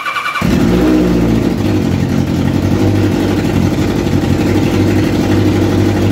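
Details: Kawasaki ZZR 1100 engine swapped into a Fiat Panda 750 Fire, during electrical and engine tests: catches after a short crank, then revs rise and fall smoothly with a steady, even beat. Normal start and rev response.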